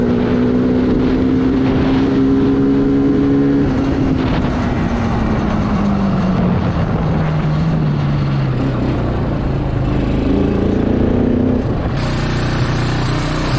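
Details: Kawasaki Bayou 220 ATV, sat about 8 years, helmet-cam test ride around the block after fuel-line and air-filter work: single-cylinder note pulls cleanly through all gears, pitch rising and falling with throttle, no bogging; runs well.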